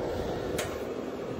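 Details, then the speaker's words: Residential central AC condenser on a not-cooling call, after a new 825 RPM 208/240 V condenser fan motor was fitted: steady compressor hum under an even fan whoosh, no knocking. The compressor, nearly condemned, ran after being switched on again and discharges hot air normally. "nice and tight we're good we're discharging hot air from inside the house and she lives another day"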